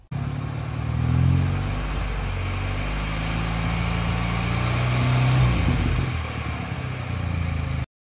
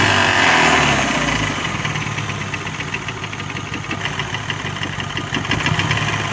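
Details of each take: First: BMW 116i F20 with the N13 engine, idling after repair: smooth, with light throttle blips and no knock. It previously knocked only when warm from a cracked crankshaft; the crankshaft and bearings were replaced. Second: BMW 116i (F20, N13) idling warm with a steady regular knock about four a second, absent when cold and with no power loss; caused by a cracked crankshaft, since replaced with new bearings.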